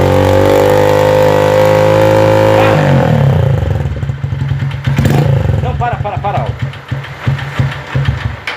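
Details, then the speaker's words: Motorcycle that smokes heavily, held at high revs then dropped to idle: a hollow, loose clatter rides each firing stroke; piston skirt slapping the worn cylinder, fix is replacing the cylinder kit. "Esse barulho que tá nessa moto aí, com certeza é pistão batendo saia, entendeu?"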